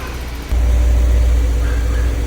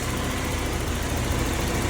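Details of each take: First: 1991 BMW E30 318is M42, about 200,000 miles, just after timing chain guide replacement: steady, deep, slow idle rumble, no misses, lower than normal; owner attributes low idle to a gas tank fuel leak. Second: 1991 BMW E30 318is, M42 engine, about 200,000 miles, idling after timing chain guides were replaced with later M44-style guides to cure ticking: steady, even smooth low rumble with no ticking, rattle or misfire; cooling fine, no leaks, runs great.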